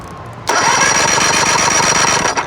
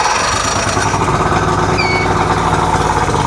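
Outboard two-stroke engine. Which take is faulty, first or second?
second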